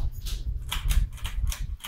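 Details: 1990s Hampton Bay Bridgeton 42-inch, three-speed ceiling fan with refinished blades, running slightly off balance: light ticks about every quarter second over a low hum. Likely clicking from blade wobble.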